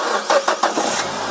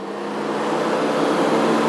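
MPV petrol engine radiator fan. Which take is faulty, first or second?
second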